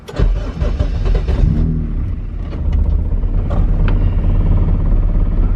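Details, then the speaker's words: Car running a B-series throttle body with no idle air control valve and a Vibrant resonator, on its second start since the dyno: short crank, catches on the second try, then a smooth, even idle; normal start and idle. "Like butter, baby. Like butter. No idle air control valve. Granted, we are running a B series throttle body, and this thing purrs."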